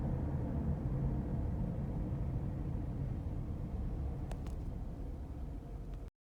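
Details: Worn hub bearing heard from a tyre while cruising, recorded from the passenger side: a deep steady growling rumble under road noise, pulsing slightly with wheel speed, heard as gogogo, rururu, won-won, gorogoro.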